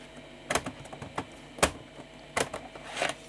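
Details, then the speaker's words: 1989 Philips PCL 304 i386SX laptop single floppy drive: scattered sharp ticks, no smooth seek; won't boot from a floppy, head seems unable to move; owner suspects cable damaged during disassembly or a dead drive. "I just can't boot off a bootable disc anymore it sounds like the head can't move so we do need to take this apart again to service that drive as well"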